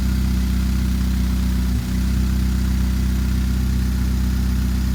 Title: Chevrolet Spark 2013 Misfire